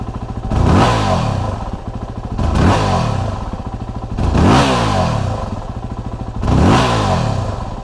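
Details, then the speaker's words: 2008 Yamaha WR250R single-cylinder, engine warmed up: idle, then four hard throttle snaps each bog about half to one second before rpm climbs; low fuel pressure blamed, fixed by replacing fuel pump and fuel pressure regulator. "there's probably about a half to maybe a full one second delay from the time that you really roll on the throttle hard until the time the engine RPM jump up"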